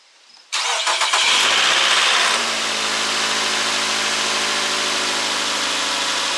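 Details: Nissan Altima (2008 per title) that had random multiple misfires P0300 and was left idling a whole day; a rubber spark plug socket O-ring was found left on one plug, plugs cleaned. Cranks briefly, catches cleanly, settles into an even, steady idle without stumble or miss.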